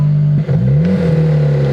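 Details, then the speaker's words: Jeep engine, jump-started and briefly warmed, revved once: the note rises and falls with an odd spinning whir riding on it. Owner says something is spinning that shouldn't be; the cause is unknown. "something is spinning it's not supposed to do"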